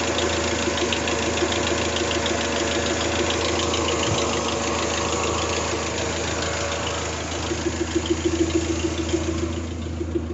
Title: 3sgte minor rattle noise